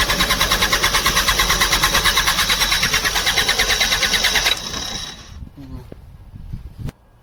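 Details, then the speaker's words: Bobcat diesel loader: fast even starter churn, about three beats a second, never catches; fuel pump getting no current and not passing diesel, so no start. "Pump का switch काम नहीं कर रहा लगता है देखना पड़ेगा य डीजल नहीं पास कर रहा है इसलिए स्टार्ट नहीं हो रहा है"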